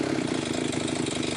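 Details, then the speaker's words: Limex Expert BT 524ba two-stroke brush cutter after starter ratchet replacement: fast even buzz at steady speed, no stumbles or rattles, running cleanly; to idle 5–10 minutes to bed in new ratchet. "Bây giờ cần thiết cho motokosa nhàn rỗi một thời gian. Có lẽ năm đến mười phút để mài trong các bộ phận ratchet và khởi đầu."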